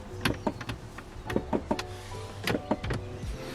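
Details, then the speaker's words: Mini Cooper passenger power window, key on: short dry clicks in bursts in the door, likely a relay, with each switch press, no motor hum, window doesn't move; driver's window works; window motor suspected failed. "There's a little clicking happening in the door somewhere, but the window doesn't open, and so I think the motor in it's gone."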